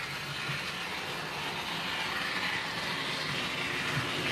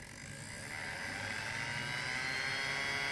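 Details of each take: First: Dapol B800 DCC track cleaning wagon running with cleaning fluid on the grinding pad over dirty rails and sleepers: high scraping hiss growing louder as the wagon approaches, after only a couple of laps. Rail screech from the pad. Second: Dapol B800 DCC motorized track cleaning wagon, Hoover (vacuum) attachment switched on and ramped up slowly: small electric motor whirs up into a high, even hum with no rattle or grinding; normal motor spin-up.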